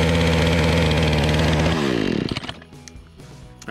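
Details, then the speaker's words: Remington RM4620 chainsaw on freshly mixed fuel: strained, buzzy note that never reaches full revs, then dies; bogging caused by a clogged spark arrester and dirty air filter. "that is it as you can hear it is not revving up to what it's supposed to so let's take this thing apart and see what we can fix"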